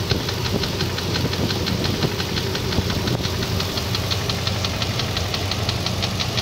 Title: VK56DE engine knocking